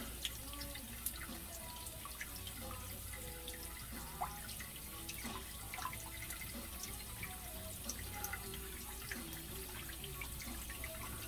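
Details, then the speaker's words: GE Profile dishwasher that filled but didn't wash, after pump and wash motor assembly replacement, starting a cycle; steady rushing and splashing of water pouring into the tub with light drips before the wash starts. Normal fill. "i'm going to start a cycle just by pushing the start button there and then like i said put the uh spoon or fork right in there and we are filling with water and if our job was a success"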